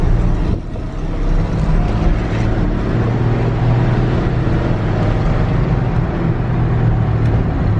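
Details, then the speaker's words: 1965 Ford F100 with 5-speed manual, test-driven after new clutch install: steady low engine drone under load, no clatter or clunks, goes right into gear; clutch and drivetrain sound healthy, normal driving. "this thing drives good is really good goes right into gear now"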